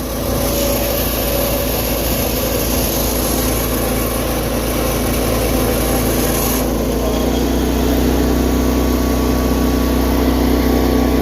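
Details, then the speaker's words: "210" tractor after carburetor refit with the fuel line, choke and throttle hooked up, revving well and running better than two similar units: a steady, even drone shifting smoothly in pitch, no misses or knocks; healthy running. "This runs better than the other two, holy crap. This is the nicest one too, and that's why I'm selling this one to him, because it's the best running one."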